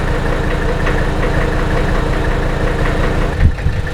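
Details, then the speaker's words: Early Mercedes 615/616/617-series diesel after injectors were rebuilt with new nozzles and prechamber nuts checked, fixing hard starting, smoke and rough idle: steady, even diesel clatter at idle, no misses or surging. Normal diesel idle. "whoa what a difference listen to this engine run can you believe the difference"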